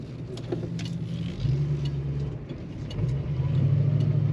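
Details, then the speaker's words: 1970 Mercury Cougar hardtop, 351 Cleveland V8 (H-code, 250 hp), cruising near 70 mph at roughly 2,500 rpm by ear: steady deep V8 drone under throttle briefly sags and falters before pulling again, a slight stumble of unclear cause. "A little bit of stumble there. Touching 70 miles an hour, and by ear, oh, sounds like 2,500 RPM or so."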